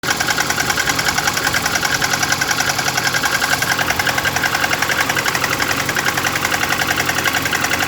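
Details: VAZ 21099 at idle: a sharp, steady tapping about 3–4 times a second that started faint, grew louder after 50 km, then held steady over about 350 km of driving; an engine knock, cause unknown.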